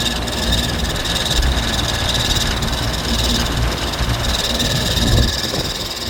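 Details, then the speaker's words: Home AC outdoor condenser unit in about 110°F Southern California heat, its fan motor replaced twice before: a continuous rough, rattly rumbling drone whose sound changes when pressed on, so the condenser fan motor is likely failing. "Notice how the sound differentiates when you press on it. That means that it's probably this fan motor, because that's the only thing connected to this actual outside unit."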